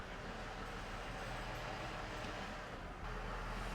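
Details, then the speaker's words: Chevrolet Trailblazer with a junkyard 4L60E automatic transmission of unknown mileage just installed, idling briefly to warm and circulate fluid: steady idle, then a soft, clean tone drop as reverse engages without clunk or slip; transmission takes gear normally. "let this get up to Temp here first at least get a little warm that circulate some fluid okay oh that sounded good reverse"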